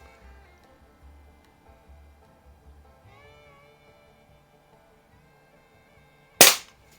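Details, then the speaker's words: 1970s Smith & Wesson model 79G .177 CO2 target pistol, with a fresh oiled CO2 cylinder and oiled seal, fires one sharp, clean crack with quick decay; it holds gas and shoots with good power. "Sounds like it's shooting with some pretty good power though. Plenty enough for a target gun for sure."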